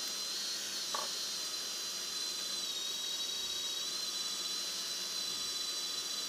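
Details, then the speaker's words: Drone brushless motors on a BLHeli_S ESC spinning up without propellers in stabilized mode, so the controller tries to level itself; high, thin whine, steady with slight pitch wavering; normal unloaded motor spin-up. "потому что он без винтов поэтому начинает это дурковать пытаться выровняться"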